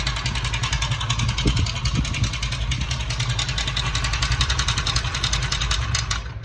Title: Bike engine noise problem solved #shortsfeed #experiements #bikeengine #zubairbikerepairing